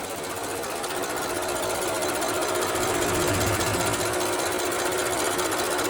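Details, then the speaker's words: BMW X6 with "full engine power no longer available" warning, engine hot: loud steady metallic rattle over the running engine, chattering about three times a second without letup; rattle appears when hot, source not pinned down. "okay couple of things which the customer says has a rattling noise which is hearing from the engine when the engine gets hot and that sound is not funny it's really scary"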